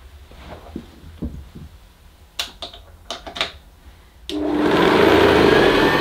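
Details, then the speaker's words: 1975 Hoover U4034 Ranger Senior vacuum cleaner, first power-up after an attic find, cable taped: harsh loud rattle over the motor hum; owner suspects much of the rattling is the agitator. "yes I suppose it does sort of work but that sounds absolutely appalling I think though a lot of that rattling could be the agitator"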